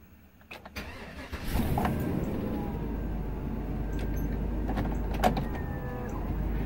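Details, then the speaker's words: Workhorse J72 RV auto park brake: the engine starts into a low steady hum with a faint motor drone. This is the hydraulic pump running normally, building 15 psi to release the brake. "you hear the hydraulic pump kick on that's out building up 15 psi to release the brake"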